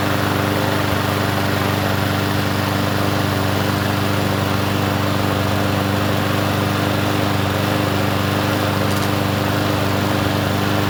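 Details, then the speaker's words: Troy-Bilt push mower engine after a part is straightened: runs at steady speed with a slightly uneven, hunting beat; rough running, suspected carburetor issue that needs cleaning, unconfirmed. "Well, let's see if it does anything now. It almost sounds like a carb issue."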